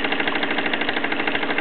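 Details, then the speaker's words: Mamod SE2 raised-base steam engine on full regulator, wide open, with a leaking safety valve and worn lamp wicks: quick even chuffing about ten beats a second, gradually slowing as steam pressure drops. "this one's on full regulator wide open but as you can hear and probably sense that the engine is gradually slowing down that's the steam pressure drops certainly not being helped by that safety valve"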